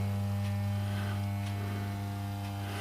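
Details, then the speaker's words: Mocked-up valve amplifier with its new power supply, playing music; a steady low hum at constant pitch under the sound, source unknown, possibly mains hum. "There's a bit of humming, isn't there? Where's the humming coming from?"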